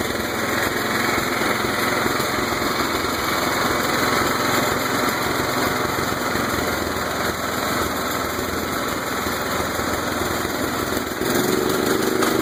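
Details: Murray lawn tractor with Kohler CV15S engine, revived after sitting 7 years: ragged, uneven thumps at high revs above half throttle. The owner is unsure whether it is knocking or backfiring.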